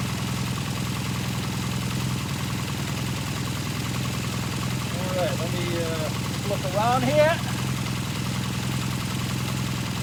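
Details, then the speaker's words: 1978 Kawasaki KZ400 twin just after exhaust and carburetor install: steady, even putter at idle, no misses, knocks or rattles; healthy idle. "It's actually got a nice little sound to it."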